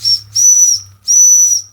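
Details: Old Jensen #35 live steam engine, electric-heated boiler on a variac at about 100 volts, first run in decades after about 10 minutes heating: two clean, steady high whistle blasts with slight steam hiss at onset; whistle works fine at full pressure.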